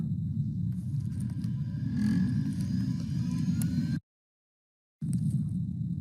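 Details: Lab microcentrifuge with the plastic rotor lid and top lid closed, spinning at 13.2k for one minute with balanced tubes. A smooth, steady low hum with no wobble, knocking or rubbing: normal spin.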